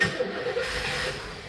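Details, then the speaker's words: V8 on its first start in 30 years runs ragged and unsettled cold. The choke diaphragm is not pulling the choke closed, so it runs with the choke stuck open. "that choke needs to be closed i don't know why it's not sucking it shut it should be a it's got a diaphragm on it it's supposed to close but it's not"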